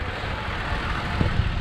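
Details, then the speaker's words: Toyota Tacoma TRD Sport, heard at the exhaust at idle: low, gruff, slightly uneven diesel-like rumble; owner says this clears carbon buildup, unlike the Nissan Frontier; normal idle, nothing wrong. "so yeah so while that's going it's actually clearing out the the carbon and I know that was one of the reasons why a lot of people chose this truck over like the the Nissan uh variant"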